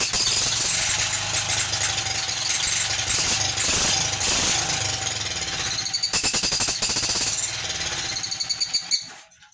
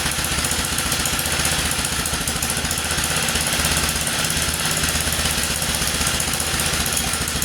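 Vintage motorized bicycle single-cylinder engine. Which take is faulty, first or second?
first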